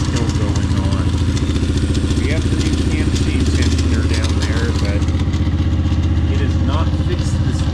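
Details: Kayo MR150 single-cylinder after installing a manual cam chain tensioner, electric starter removed: lumpy idle with a light metallic crankcase rattle on each firing beat; tensioner did not fix it, owner suspects starter clutch.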